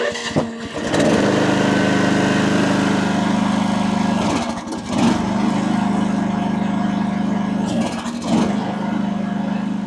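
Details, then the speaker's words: AGT WH12R 1-ton mini excavator diesel, relief valve turned in 1.5 turns, boom held at stop, gauge flickering to around 3000 PSI; deep labored drone with brief dips: engine lugging, likely from excessive relief pressure, owner backs it off. "Well, at any rate, I could see that that thing was flickering all the way over to around three grand. So, I'm going to back it off."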